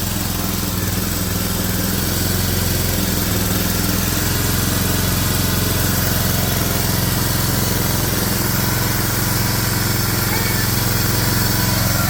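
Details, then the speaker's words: Briggs & Stratton 7 hp engine on a Swisher 22-ton log splitter, after carburetor cleaning to cure surging: steady, even run with no hunting or surging. Normal idle, fixed. "Ta-da! Good. Nice, easy fix."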